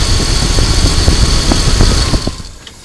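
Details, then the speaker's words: 2000 Dodge Durango 5.9L V8 after replacing the ignition coil, key cycled on and off four times before cranking: engine starts on first try and settles into an even steady idle with no misfire or stumble; normal idle. "We'll start the engine. Okay, here we are. We started on the first try."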